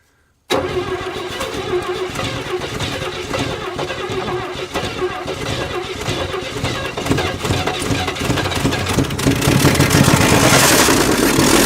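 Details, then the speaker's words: 1957 Chevy 210 that sat 50–60 years, first start with a gummed-up, hand-choked carb: catches after a brief crank into a lazy, slightly uneven idle with no knocks and a little smoke; timing is suspected retarded. "Well, it sounded a little bit retarded timing to me. I think we still need a little more advance on it, yeah."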